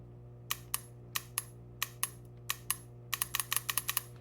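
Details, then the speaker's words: 1991 Nissan 300ZX idle air control valve, FICD solenoid powered by battery via alligator clips, held close to mic: sharp crisp clicks each time power is touched, some in quick bursts; solenoid working normally. "So, same thing, just alligator clips. It doesn't matter which side you put it on for both of these. Now, this one, you won't see anything, but you will hear it."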